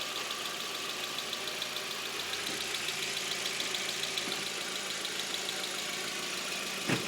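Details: Audi A4 petrol engine idling after checking the timing alignment: light, fast, even tick, about three to four a second, now quieter; bent valves or bad chain tensioner suspected; scan blamed the cam sensor, replaced, check-engine light remains.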